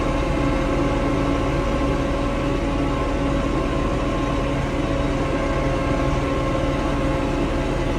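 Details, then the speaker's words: Diesel tractor that went into limp mode, capped at 1500 rpm instead of 2500, and stalled: diesel clatter with an uneven, stumbling beat. Rough running from water in the fuel, found in strainer and water separator. "tractor started running rough look at this strainer oh this is really a two-handed shot there's definitely some crap in there"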